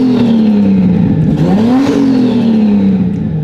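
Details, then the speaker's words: Turbo Lexus IS300 first start after build, revved from inside the car with no intercooler fitted: clean blips climbing smoothly and falling back to a steady idle, no misses; engine sounds healthy and idles great. "Oh, that sounds so good inside the car."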